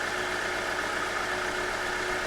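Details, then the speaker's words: 1997 Jeep Wrangler, first run after an unknown time sitting, no coolant in it. Steady idle with a faint unevenness in the low thump, starting to even out; slight stumble and a flutter at the back, cause not known. "But got a bit of a stumble to it at this point."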